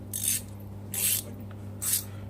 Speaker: Ну да, вот здесь слышно, что прям трещит. Здесь поменьше. Они по-разному работают.